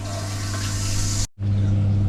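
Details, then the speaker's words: Village hall toilet after cracked cistern replaced with new Viva cistern, flush pipe cone and nut: strong, even rush of water empties the cistern, then the refill hisses steadily with no dribbling or trickling; flush working properly, no leaks. "Oh, what a surprise! No leaks."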